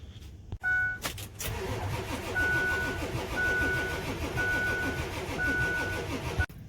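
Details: Ford 7.3 Powerstroke diesel that came in as a no-start, with very low batteries on a jump pack and a suspected shorted fuel heater (glow plugs later found inoperative): turns over steadily on the starter for several seconds but never fires; crank, no start.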